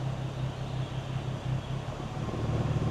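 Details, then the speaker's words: 2011 BMW 335xi manual, 140k miles, idling with clutch out: steady low idle hum, no clatter or chatter; no transmission rattle, which appears only with clutch in and AC on (owner suspects common flywheel chatter); normal idle. "Clutch out. No transmission rattle."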